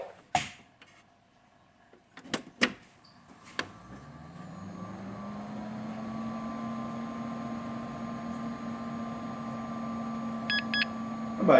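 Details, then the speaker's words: Dell Dimension 8300 PC powered by a suspected semi-faulty power supply whose 12 V, 5 V and 3.3 V rails measured fine: a few clicks, then the fan spins up to a steady low hum with a short high beep near the end. A normal boot. "bah il a fait bip bip pas mal. Bon, bah ça a marché convenablement."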